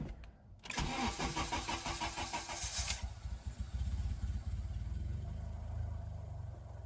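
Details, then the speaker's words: Acura RSX Type S with swapped K24 engine, first start after refilling fresh oil and priming the fuel pump: starter whirs about two seconds, catches cleanly into a smooth even idle; no smoke; check engine light on; normal start and idle. "but it does run first time startup as usual"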